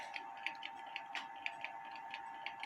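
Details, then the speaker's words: Kienzle carriage clock (1898–1923), heard through a beat amplifier after cleaning without disassembly: limping ticks about four per second with alternating long and short gaps; out of beat, hairspring collet being adjusted. "I don't know if you could hear it but it doesn't sound right to me foreign so I'm going to try to adjust this palette"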